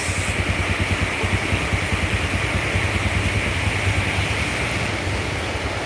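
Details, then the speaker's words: Yamaha Jupiter Z fully restored after crashing into a truck, with an original bearing set, battery not yet fitted: steady, even firing with no knocks or rattles, sounding like new from the dealer; running smoothly. "ini suara mesinnya Bos kayak baru keluar dari dealer ini suaranya Bos adem Bos"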